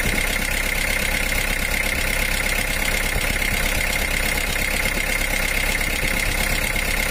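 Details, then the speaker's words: Mitsubishi L300 diesel at idle before teardown: it shakes unevenly with a lumpy beat, wavering rpm and weak sound, caused by a cracked cylinder head letting water into the cylinder (water hammer), which bent a connecting rod. "Hai senyum suaranya pun kayak kurang bertenaga goyangannya mesin dan rpm nya itu tidak berkenan"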